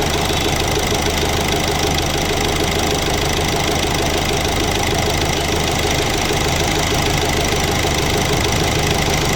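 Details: 2018 Hyundai Accent CRDi 1.6 diesel, previously with a cylinder 2 misfire and engine knocking: steady idle with even, light clatter and no knocks standing out; sounds like a healthy running engine.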